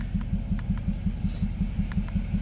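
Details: Mazda four-cylinder at idle with a pending misfire code on cylinder 4; steady idle broken by a heavy thump about five times a second, even like a limp; one cylinder dropping out, a dead misfire.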